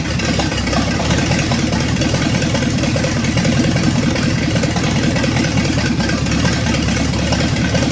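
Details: 1965 Ford Thunderbird with FE 390 V8, just restarted after troubleshooting: steady, even burble at idle with no knocks or misses, running smooth; normal idle.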